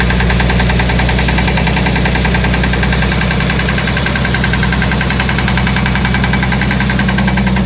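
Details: Jeep XJ 4.0L HO engine at 1500 rpm idle, with fairly loud, steady knocking. The flexplate bolts are already tightened and the oil pan gasket lacked metal inserts; flexplate or piston slap is suspected but unconfirmed.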